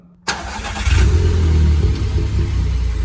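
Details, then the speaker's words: VW Golf 6 TSI petrol, first start after oil change and new oil and fuel filters, fuel pump primed: catches at once, rises briefly, settles into even steady idle with no misfire or stumble; fuel pressure up, no leak. "là, on est en pression. Ça a démarré au quart de tour. Il n'y a pas de souci."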